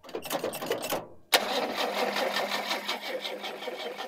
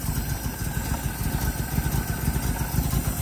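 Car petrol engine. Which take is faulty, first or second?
first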